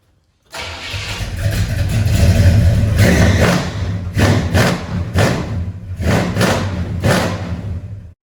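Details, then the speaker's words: 1975 Buick convertible big-block V8, cold start: engine catches and roars up, then a string of throttle blips rising and falling cleanly while warming up. Strong, healthy cold start. "Y'all hear the cold start? It's a cold start. Hey, this thing is a beast. Hey, me just trying to warm it up. Hit the gas. Sound like a lion roaring in this thing."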